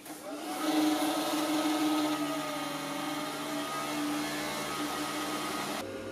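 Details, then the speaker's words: Packard Bell iMedia Windows XP PC under gaming load: loud, steady whirring drone from the rear case fan, suspected broken fan blade; defective fan, replaced along with the CPU fan. "when starting up and windows idling this isn't a problem but as soon as it gets intense it's liftoff time so the biggest problem is that back fat it's defective i figured one of those fan blades must be broken or something"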